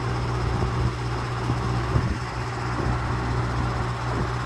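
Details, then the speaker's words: Early-1950s Lasko-made Jet 20" two-speed box fan, four-wing blade, on high speed: steady fan drone not overly loud with a faint irregular buzz as the grille and other parts rattle; rattle at high speed. "The high speed here, not too overbearingly loud, throws out a good breeze as you would expect. Got some rattling noise from the grill and some other parts. Not the quietest box fan."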